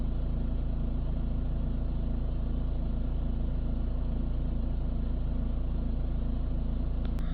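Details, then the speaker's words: VW Amarok 2.0 TDI diesel idling right after a full service with oil, fuel, air and cabin filter change, started once the fuel pump went quiet at pressure: smooth even clatter, steady pulse, no misses or stalling; healthy. "Let that idle just for a minute, make sure it's not going to stall"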